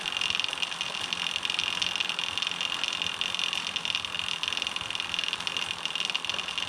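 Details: Homemade SWB bike chain hand-spun through the idler with the HDPE chain keeper fitted: loud steady hiss and rattle, about 10 dB louder (about twice as loud) than without the keeper, which doesn't touch the chain.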